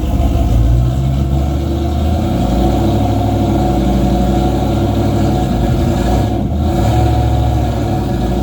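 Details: Race car with 351W V8 and transbrake, transmission newly working but only about nine quarts of fluid, not yet topped off, so driven gently without building boost; heavy V8 idle with throttle blips whose rev build hesitates slightly, a stumble under throttle.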